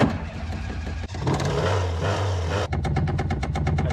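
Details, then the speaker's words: Ford Mk2 Escort: engine revs, then a fast, regular rattle of about eight beats a second over idle from the clutch pedal, a long-term issue; cause suspected, possibly clutch cable off-center on the bell housing. "if you've been watching my videos for any length of time you'll know that i have a long-term issue with my clutch pedal rattling"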